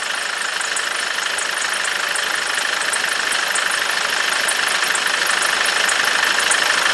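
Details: 2006 Nissan Navara diesel after tank work and bleeding fuel lines post no-start breakdown: even diesel clatter at idle, steady ticking about three per second, no misses, some blue smoke; injectors seem fine, running normally.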